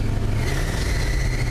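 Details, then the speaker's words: 1974 Ford F250 flatbed, first cold start of the year: a steady high-pitched squeal rides over a fast cold idle throughout. A slipping accessory belt squeals on cold start. "and that belt is squealing"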